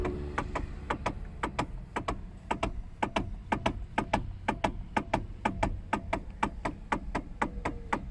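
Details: Hyundai/Kia steering column: sharp hollow clunks about two a second as the wheel is rocked side to side; most commonly a worn rubber eight-point steering coupler bush, fixed by replacing it.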